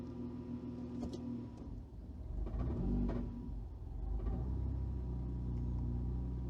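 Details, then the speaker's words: Newly installed engine on a freshly wired ECU with a faulty idle control motor: the idle dips, surges and stumbles when the gear is selected, and previously it stalled 60-70% of the time. Rough, unstable idle; the coolant temperature may have been slightly low. "All right, so it didn't stall that time, but you get the idea. It's not normal. It should go into gear and stay running smoothly."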